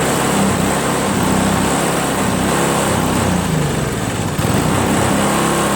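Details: Craftsman 522 4-cycle single-stage snowblower after draining water from tank, cleaning carburetor, replacing fuel lines and primer hose: small four-stroke engine holds a steady even run, no hunting or misses; healthy.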